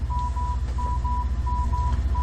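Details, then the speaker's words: AALogic cable fault locator, transmitter and receiver set to 987 Hz: clean lower-pitch tone pulsing about twice a second over low rumble as hand coil meets cable; normal baseline locating tone, about 42% on screen. "can hear that this tone is a lower pitch and you can see that we have a nice baseline tone to check with"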